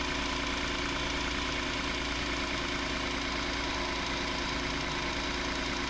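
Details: 2019 Hyundai Santa Fe XL 3.3L GDI idling after a new serpentine belt install, idler pulley bolt torqued to 62 ft-lb: smooth, steady idle with an even hum and no belt squeal or chirp; belt drive normal.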